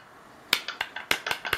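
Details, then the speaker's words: Player's pool cue shaken: sharp light clicks about eight per second rattling from the butt end, where the weight screw under the rubber bumper plug is loose. "you can hear it rattling a little bit it's coming from the back end hear that"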